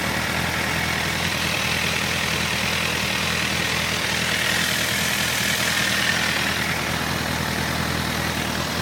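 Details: Honda CBF 1000 F four-cylinder at idle, recorded from several sides, noise in first seconds: busy clattery top end with light irregular knock, source not pinned down; engine knocking noise.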